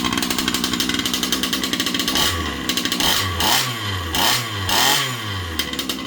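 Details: Losi 5B clone RC buggy with a Rofun 36cc 360SLT V5 two-stroke, new kill switch, pull cord and bigger tires, started on choke. Crisp, rapid idle crackle, then clean throttle blips that rise and fall; runs strong and even.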